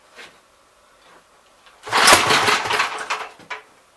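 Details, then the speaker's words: Gravely 64L tractor engine, long unused, pull-started with choke barely open; one sharp pop and brief sputter then dies; fires once, owner suspects losing spark. "Kind of just acts like it's only got spark once here."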